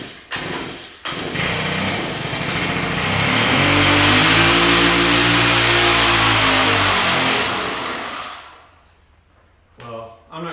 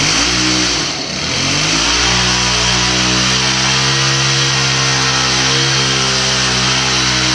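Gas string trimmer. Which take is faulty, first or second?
first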